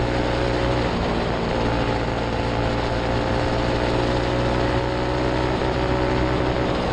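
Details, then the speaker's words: Turbo EFI Predator 212 go-kart (Stage 5), manually tuned with the injector maxed out to run slightly rich at high rpm, floored from the start: steady high-revving drone held flat with no stumbles. Normal full-throttle run to the rev limiter. "But if you floor it from the beginning, then it just keeps going and goes all the way to rev limiter."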